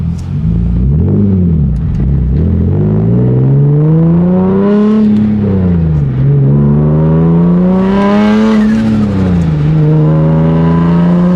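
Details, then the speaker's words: Nissan 350Z Nismo with an aftermarket stage 2 clutch and lightweight flywheel, reported slipping: during a third-gear pull the revs climb smoothly and steadily with no flare or surge. The clutch holds the power fine. "it does hold the power as you guys can tell so that was just a small third gear pool here but holds it really nice nothing crazy"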